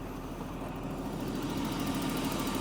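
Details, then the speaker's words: Jaguar XJ40 after engine swap, running on cheap flush oil, oil pressure just built, no leaks: smooth even idle, steady low beat, no misses or knocks; owner thinks remaining noise below is air in power steering. "seems to be running very very nicely no leaks sounds really sweet"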